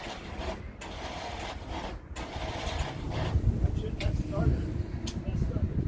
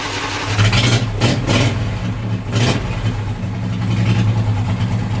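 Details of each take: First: Briggs & Stratton V-twin on hot-rod tractor, battery at 12.4 V: starter whirs freely with light spinning sound but engine never turns; broken starter drive gear not engaging the flywheel, owner suspects it is stuck. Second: Briggs & Stratton V-twin on hot-rod tractor, first start in about three weeks after starter gear repair, choke on: strong even cranking with no grinding, spins over cleanly; starter sounds much better but engine not pulling fuel yet.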